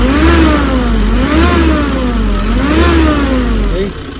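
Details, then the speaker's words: Nissan Urvan van, bought recently, engine cover off: deep droning roar swells with each light rev blip; loud engine drone also noticed on the expressway, as if the gearing were too short. Cause not yet identified. "Okay, kung makita nyo konting rev lang, umuungol na yung makina. Maingay, no?"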